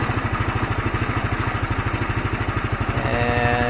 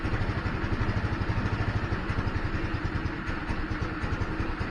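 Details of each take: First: GY6 150 scooter that kept dying out after sitting a week, after the carburettor and main jet were cleaned: even low chuffing at about three beats a second holds steady; it idles smoothly and keeps running. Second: GY6 150 scooter after sitting a week: starts, then chugs unevenly, rpm sagging and dying out; battery and spark plug checked good, owner suspects clogged carburettor main jet as before.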